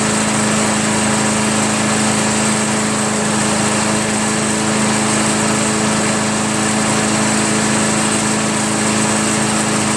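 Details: Craftsman chipper shredder flathead engine, just started after head removal, carbon cleanup and a 320-grit sandpaper valve-seat job (intake valve spun freely), holds a steady, even high buzz with no misses or knocks; normal idle.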